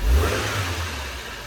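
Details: 1999 Toyota Celica 1.8 SR first started after 7.5 years sitting in a garage, after freeing a jammed throttle butterfly with a hammer tap: deep engine roar rising with throttle then easing to a steady, even run; starts and runs fine.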